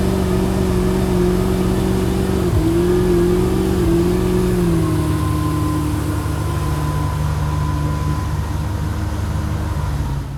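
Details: Mercruiser boat engine stalling and bucking for over a year. The steady running note sags and wavers, then recovers. It was cured by replacing the hose to the blower motor so the blower worked properly.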